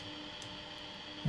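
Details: Philips 3362A two-band valve radio, c.1946, Australian-made, during rough alignment: low steady buzz under quiet set, swelling sharply near end; persistent mains hum, reception very poor, owner suspects it needs alignment.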